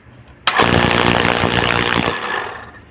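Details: Oil-free air compressor that won't compress, air escaping: loud, harsh hammering rattle with hissing air and a thin squeal, caused by broken valves.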